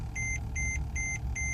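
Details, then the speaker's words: Mercedes-Benz E-Class: rapid repeating dash chime, about two and a half beeps a second, over a low engine hum. "alright guys so I know that beeping sound is annoying I know that but guys I'm gonna be talking about this problem of why these Mercedes like in general have these problems"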